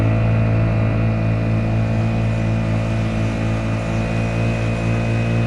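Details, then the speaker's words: Honda GX50 50cc powerhead outboard on a Nucanoe Pursuit kayak, throttle raised to a reading of about 5: smooth, steady drone with even pulses about four a second, no misfire or surging; healthy run. "Okay, that there is 5. Get around the ducklings. That's 5, guys. Again, not a big deal at all."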